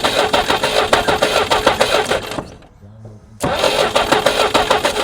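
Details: Jeep sitting 25+ years in a field, first start attempt while checking for spark; starter churns about three turns a second, stops, churns again, never fires; cause unconfirmed: cranks but no start.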